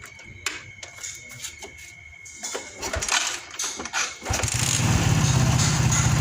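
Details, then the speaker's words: Suzuki Shogun 110 with DC ignition, started after a faulty CDI was diagnosed: a few seconds of irregular cranking clatter, then the single catches cleanly and settles into a steady, even idle. Normal start and idle. "Sekarang mesin sudah hidup. Ya. Oke, sekarang sudah hidup."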